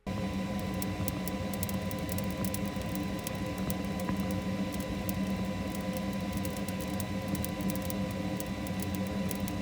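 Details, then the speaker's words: 3D printer nozzle extruding wet filament such as TPU or nylon: irregular sharp pops and crackles over a steady printer hum as moisture bubbles off, before drying the filament. "You can literally hear the bubbling and the crackling sound because of all of the moisture in the filament."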